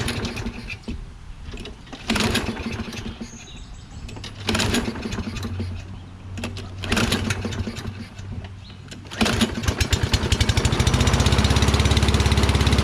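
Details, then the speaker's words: Toro Recycler mower, Kohler XT675, after cleaning debris from carburetor bowl and pilot jet: several pulls and sputters, then catches into a slow lazy idle; rpm very low, owner thinks throttle needs adjusting and suspects a faulty primer circuit causing hard starting. "well at least it started rpm seemed very low i think i have to screw with throttle"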